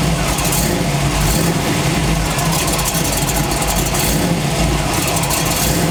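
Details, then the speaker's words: Chevy truck engine revved with camera underneath: rough harsh running with a raw mechanical rattle building with revs; owner suspects a cracked flexplate, not confirmed, torque converter gap unchanged. "okay i think it's time for my last resort throw the camera down there because it's making a wretched noise once i start revving it"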